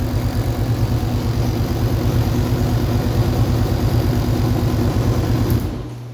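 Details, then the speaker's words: 1984 Honda Goldwing standard, 12,000 miles, back running after full chassis restoration, engine gone through, new belts, carburetors restored: smooth, even low burble with steady firing, no ticks or knocks, then shut off. Healthy idle after heavy initial smoke. "but the engine itself is running and it runs good sounds good smoked like hell when i first got it going it sounds really good"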